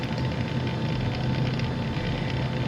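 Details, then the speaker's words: Close-miked PC case fan with the case door open gives a continuous rough, rattling, grinding whir with a thin steady tone; one fan identified as the source, before disassembly, cleaning and penetrating-oil repair. "Rapaziada, te falar, viu? Essa minha fã tá fazendo barulho."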